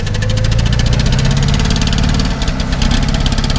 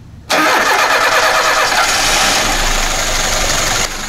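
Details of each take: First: VAZ 2121 with Solex carburettor, complaints of very high fuel consumption, hard starting and frequent spark plug replacement: deep uneven idle with a lumpy, knocking beat and a stumble near the end; carburettor overflowing fuel, cause unclear. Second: VAZ 2121 with Solex carburetor, complaints of heavy fuel consumption and hard starting, after replacing the ignition module: engine catches at once and settles into a steady, even idle with no stumbling; carburetor fuel cut-off working properly.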